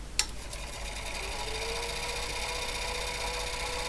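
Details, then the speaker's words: HP 9120A printer, first power-up after reassembly, no paper loaded: click at switch-on, then quiet, steady, even motor hum without grinding or scraping; printer motor runs normally, not meant to spin fast. "It shouldn't spin particularly fast, it's not a very high-speed printer, but it should turn fairly quietly."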